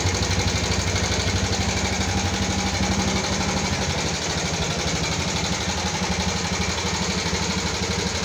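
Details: 2014 Yamaha Jupiter MX carburetor motorcycle brought in for rough engine sound: fast, regular light "kletek-kletek" clatter over the idle, about four ticks a second; top-end ticking, valvetrain suspected, not confirmed.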